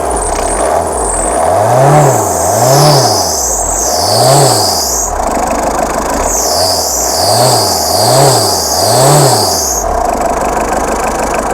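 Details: Old converted Tata Indica mechanical diesel just cold-started, in rain; quick even rev blips climbing cleanly and settling back, no knocks or rattles; runs with good power.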